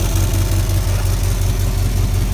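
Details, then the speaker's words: 1979 square-body truck with 350 V8 idling with a deep loud rumble and rapid raspy puffing from an exhaust leak on one side. "You can hear the exhaust leak on this side."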